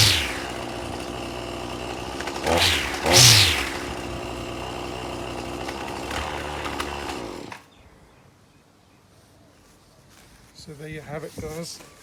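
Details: Brush cutter/trimmer starting, after the choke fully on and then the choke pushed down: the small engine buzzes high and surges a couple of times for about seven seconds, then goes quiet. It started and ran normally.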